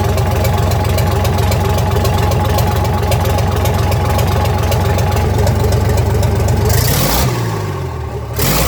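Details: 1965 Gardner 6LXB 180 marine six-cylinder diesel on test stand after rebuild (it had failed 80 hours after a previous overhaul): slow, even beat steady at idle, then runs down smoothly at shutdown; healthy engine.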